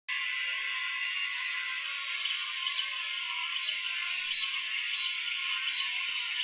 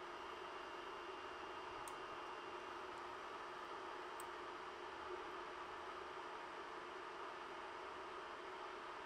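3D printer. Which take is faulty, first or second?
first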